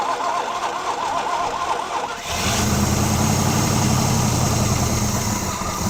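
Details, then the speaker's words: 1980 Pontiac Firebird 301 V8, first start on gravity-fed fuel after sitting 17 years: brief crank, then a deep, very loud, slightly uneven rumble; it runs but has many vacuum leaks around the carb. "whoa that was loud all right nice thing is it's running now all right go ahead yeah I'm good all right we have lots of vacuum leaks but it runs"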